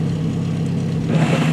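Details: VW Gol G2 manual gearbox, engine running: harsh rasping grind as the clutch comes up in third, the gear grinds and pops out with difficulty engaging; cause suspected, not confirmed.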